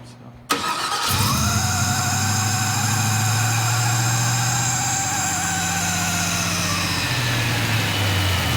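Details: K5 Blazer restarted after a loose spark plug was fixed and a hole plugged, coolant at 145. It fires and settles into a steady, even idle that is a bit high, with no ticking or misfire. Fuel pressure reads 71 psi against a spec of about 58.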